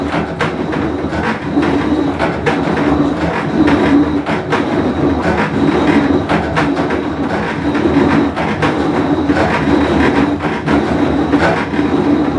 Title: Whirlpool Cabrio with bad bearing full wash cycle